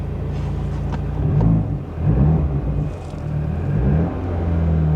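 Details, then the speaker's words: Auction car with missing muffler, charging malfunction warning lit: deep boomy raspy unmuffled rumble swelling with each throttle blip; loud exhaust from the absent muffler. "oh that's it sounds so bad I'm sorry guys"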